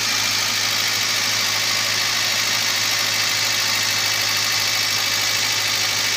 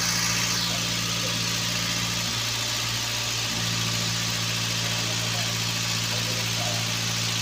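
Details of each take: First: Toyota Avanza at idle after replacing the failed ignition coil/spark plug that caused misfire and shaking: constant, even, stable idle with smooth hum under hissy top end, no stumbles; normal idle. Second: Toyota Avanza petrol engine idling, owner reports high fuel use, fuel smell, shaking and lack of power: uneven lumpy idle stumbling every few turns, one cylinder dropping out; ignition suspected weak or dead.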